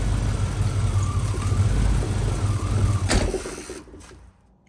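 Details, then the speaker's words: 1992 Chevy K1500 Blazer V8 after fuel pump replacement: low idle rises and falls unevenly, then cuts out; surging attributed to a broken O2 sensor with stripped threads in the headers. "so if you guys can hear the truck kind of surging back and forth so I realized the O2 sensor was broken"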